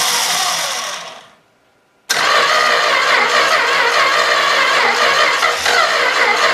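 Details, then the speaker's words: Long-sitting 318 engine cranked by touching the starter wire straight to the battery, bypassing the weak jumper-cable feed: quick cranking cuts out briefly, then it catches with ragged, uneven intermittent firing. "well it's starting to come to life"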